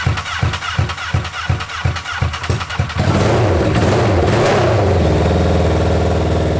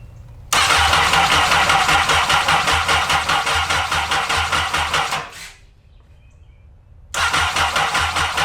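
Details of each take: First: Honda N600 with replacement 2014 CBR1000RR engine, first start, open header exhaust: quick even cranking for about three seconds, then catches to a steady loud idle, no engine noise heard; runs fine. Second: Honda N600 with newly installed CBR1000RR engine, three bad fuses replaced, fuel pump primed by cycling key: rapid even cranking about two and a half bursts a second, twice, no firing; crank no start, no spark.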